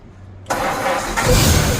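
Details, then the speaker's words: 1951 Ford F1 after sitting over 20 years, rebuilt Holley 94 carburetor just installed: engine catches within half a second and settles into steady even low rumble, little smoke; starts fine, idle may need adjusting. "Hey, look at that. like a champ. Little bit of smoke. Might need to adjust the the idle here."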